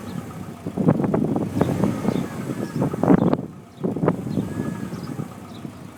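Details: Subaru Impreza WRX STI V2 import, 90,000 miles; rapid woodpecker-like tapping in bursts over low rumble, loud when cold, quieter warm and then heard only when revving; owner suspects piston slap, unconfirmed.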